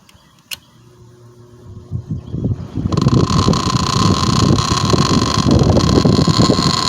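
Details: 1987 Patton CA-1284 12" rotary box fan before repair. It spins up with a rhythmic rattling knock about three times a second over the motor hum: the blade is loose and slipping on the shaft.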